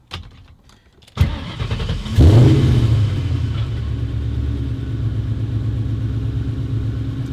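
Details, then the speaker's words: 1999–2004 Mustang GT just after a fuel filter replacement: a short crank, then it catches cleanly and settles into a steady, even, deep idle. Normal start and idle. "If it runs correctly, you did it right."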